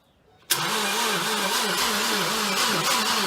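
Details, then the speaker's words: 2012 Ford Focus SE, first start attempt after head gasket job and timing work: steady cranking buzz warbling about twice a second, never catches; sounds electronic, like a transformer. Starter suspected. "That's what I was wondering. It sounded like it wanted to turn over."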